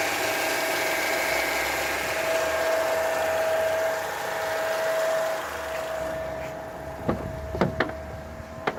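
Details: Opel Astra J: steady tonal hum holding one pitch over the engine for several seconds, then fading with some clicks; power steering pump humming.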